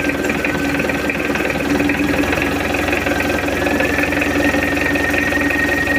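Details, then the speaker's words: Mitsubishi L200 diesel, rebuilt after an engine teardown, test-run on the stand with injection timing advanced: even diesel clatter at a steady idle, no misses, knocks or surging; oil pressure normal, normal idle. "oke udah hidup untuk mesinnya Alhamdulillah nggak ada kendala udah beres dan suaranya Udah adem goyang mesin pun juga tenang"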